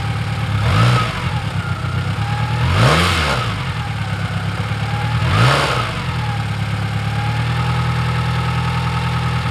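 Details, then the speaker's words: 1996 Toyota Camry at its first start after timing belt and water pump replacement, unrun for over a month, alternator disconnected and no coolant. It catches and holds a steady idle, with three clean throttle blips and no knocks or rattles. Normal running. "i would call that a success yay thing hasn't run in over a month and now the beast is back all right it was running like crap i think i got the belt in the right place i think it's just because it hasn't run in so long"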